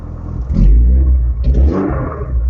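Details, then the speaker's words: Renault Clio 182, about 139,000 miles, with a big exhaust leak and battery light on (alternator probably not charging); two throttle blips on the rumbly four-cylinder, revs rise sluggishly with hesitation and suspected misfire, likely needs service, plugs and leads. "it's a bit hesitating probably needs a good service plugs leads"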